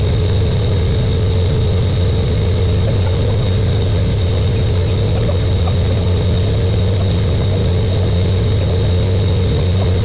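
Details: Buick Grand National with new engine, third and final 10-minute cam break-in run: steady, even deep drone at raised idle, no knocks or ticks; normal fast idle.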